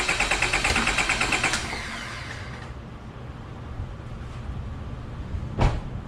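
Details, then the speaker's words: Car cranked to empty the fuel rail before a compression test: fast, steady cranking at about three beats a second, never catches, then falls quiet; crank, no start, no fuel. "You will notice that the car did not start. Now I know the fuel rail is empty and I'm ready to perform the test."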